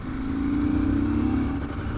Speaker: Oh, you hear that? Chugging away, no idea what to do with itself. This is a great engine otherwise. I mean, it's a stonking engine. There is something wrong with the fueling on this bike.